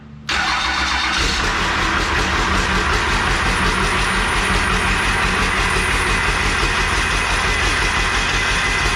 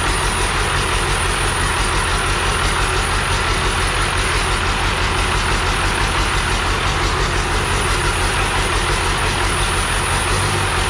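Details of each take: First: Used 12-valve Cummins diesel core engine, accident-damaged, started on the floor after sitting 4–6 years, with a new oil filter and primed fuel: brief crank, then a steady, even diesel clatter. Runs normally, but the turbo is likely bad and the fan is touching. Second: 12V Cummins core engine, accident-damaged, first run after 4-6 years sitting, new oil filter: steady rough diesel idle with faint repeating rub each turn; fan touching harmonic balancer, turbo suspected bad, fuel filter leaks.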